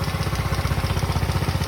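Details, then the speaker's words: Motorcycle brought in by a worried customer, engine idling very loudly with a rapid, even clatter on every beat, sounding like a major part needs replacing; source found through part-by-part checking, later diagnosed as a basic fault. "Ayan, tingnan nyo naman kung gaano kaingay"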